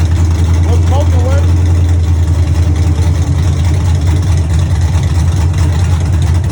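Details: Chevy truck with a cammed 5.3 V8 (232/234 cam, 110 LSA) on open headers, first run after fuel pump wiring and ground fixes. Loud, deep, loping, choppy idle, steady and even; normal cammed idle.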